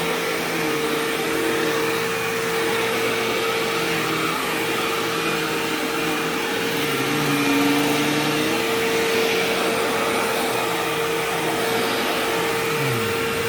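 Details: Sharp Twin Energy vacuum cleaner vacuuming a living room: a steady high whistle-like squeal rides the motor hum, a second tone briefly appearing. The squeal faded after running a while and partly returned at shut-off; cause unknown.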